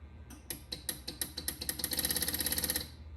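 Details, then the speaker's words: 1986 Williams PinBot pinball machine: crisp relay clicks speed up to a fast, even chatter and then stop cleanly. The backbox GI relay, on a non-original relay board now plugged into a connector instead of soldered, works properly. "Yep, it works perfectly because that relay is what controls the Backbox GI."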